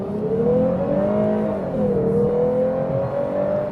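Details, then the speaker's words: 2021 Lexus IS 350 F-Sport, 3.5 L V6 without a supercharger, accelerating from 10 km/h: clear supercharger-like whine climbs with speed, dips at a shift, then rises again; source unknown. "Do you hear that? Sounds like a whine. So I'm not sure how come, because this is a 3.5 liter V6. That sounds a lot like a supercharger, which doesn't exist in this car."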